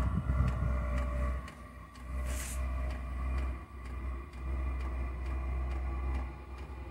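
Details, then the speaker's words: Diesel heater lighting on its first biodiesel test, with residual kerosene still in the line: low rumble with soft pulses about four a second that settle into a steady burn. No exhaust smoke; normal start-up. "right so it has fired up we'll have a quick look at safe have a look at the exhaust"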